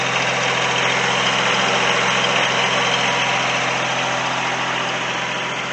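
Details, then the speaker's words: Kubota three-cylinder diesel light plant with rebuilt Zexel injection pump, running after a jump start, recorded at the radiator end: steady, even diesel clatter at constant speed with strong fan rush; idling cleanly. "so as you can hear this is the loud end only because that's where the radiator is at"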